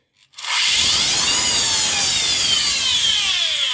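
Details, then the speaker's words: Miele C3 Complete Cat & Dog vacuum run without bag holder or pre-motor filter, switching itself into eco mode: harsh, gritty high-pitched roar with wavering whine spinning up, then a stink; armature burnt, motor finished. "Okay, so that is absolutely finished. There's no hope for this. The armature's gone."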